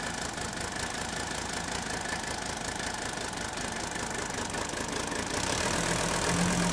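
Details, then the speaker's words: Old Mercedes-Benz diesel, warm, started quickly without glow plugs after a compression test on cylinder 3: rough, uneven idle clatter with a faint lumpy beat. One cylinder is still weak, though it is slowly improving and much smoother than when first acquired. "I think if you listen closely, you can tell it continues to improve, ever so slightly. But this is a lot better than part 1, if you remember how rough this engine ran when we first got it."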